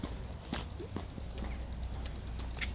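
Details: Hybrid bike while pedalling, light irregular creaking and clicking ticks over wind and road rumble, intermittent and worsening as the ride goes on: grinding worn bottom bracket bearings.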